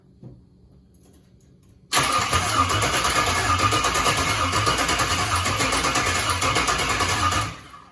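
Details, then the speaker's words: LS-swap engine (36,000-mile all-aluminum) in a car with a 41-year-old wiring harness; starter spins it at a steady fast rhythm for about five seconds without firing, battery running out of voltage; crank sensor suspected, not confirmed. "Charge it, maybe? Crank sensor might be bad. Could be."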